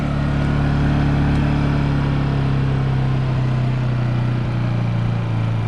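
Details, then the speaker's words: Honda EU2000i inverter generator, a few years old, in eco throttle mode before a spark plug change: steady, even, very quiet low hum with no misses or surging; healthy, though owner says it runs a little rough. "so throttles Wade okay this thing is extremely quiet I mean it's extremely quiet on a scale of one to ten this is probably the most quiet gasps motor"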